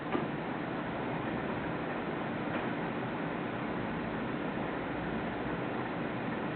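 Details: Vindon environmental chamber with two ultrasonic humidity generators, set to 65% RH at 20°C as humidity climbs: a constant soft rushing hiss with a brief click at the start, the humidifier running evenly, normal.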